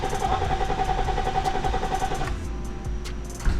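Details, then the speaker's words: Cheap Copart car that cranks but won't start: the starter turns the engine steadily at about two and a half turns a second and it never catches. Fuel is present, but the injectors aren't firing; the cause is unknown, possibly a missing ECU. "Nothing. It's cranking. It said something on here about fuel pump earlier. It seems like it has fuel running to it, but it's just not starting."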